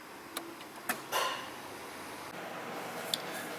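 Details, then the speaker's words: 1997 Subaru Legacy Outback 2.5 DOHC with cooling-fan and overheating trouble from blown fuses. With the green diagnostic connectors joined and the key on, engine off, a few sharp isolated clicks are heard as the cooling-fan relays switch on as commanded. "the engine light should be flashing indicating that they're hooked it is and you can hear it kicking on the relays out there"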